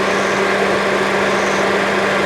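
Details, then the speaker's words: 2004 Saturn VUE 2.2 L Ecotec four-cylinder, manual, parked since 2018: steady, even idle under a loud constant cooling-fan rush until the fan cycles off; no knocks, misses or smoke; normal idle with loud cooling fan. "Listen to this thing. I know the cooling fan is loud as hell, but I mean, seriously,"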